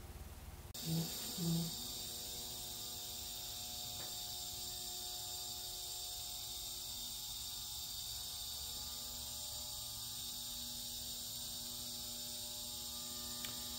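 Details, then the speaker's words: Heat-treat furnace test heat-up after upgrading to a Novus N480D PID controller with solid-state relays: a couple of relay clicks, then a steady electrical hum and high buzz as the elements energize and heat normally. "it's working I can hear the buzzing and the uh phase perfect over there"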